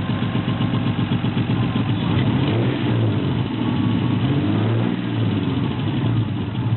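Revs rise and fall with a rough, lumpy beat instead of a smooth run, pointing to a misfire; the cause is unclear.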